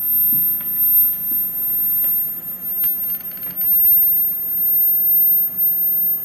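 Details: Klipsch ProMedia 2.1 subwoofer emitting a thin, steady, piercing high-pitched whine that never changes, in a quiet room.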